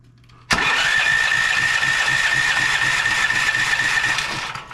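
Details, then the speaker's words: Westinghouse WGen9500 generator that wouldn't start, spark checker on the plug: steady cranking churn at about four turns a second that never catches; no spark at all, cranks but won't start. "so we're getting nothing absolutely nothing on the spark Checker so what that's telling us is we're getting no spark whatsoever"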